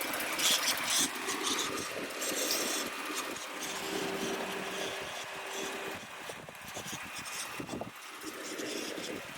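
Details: 2018 Ford F-150 XLT 3.5L V6 EcoBoost, 60K miles, idle: thin airy whizz with faint steady tone; runs fine otherwise; turned out to be a bad PCV valve.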